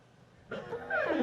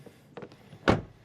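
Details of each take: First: Rivian quad-motor truck, Gen 2 exterior door handle: short, sharp squeak under a second with sliding-down pitch as the handle moves when unlocking with the key card; dry door handle mechanism squeaking. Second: Rivian quad-motor rear door closing: single deep, clean thunk with quick decay and no trailing rattle, unlike the slightly rattling front door; solid door close.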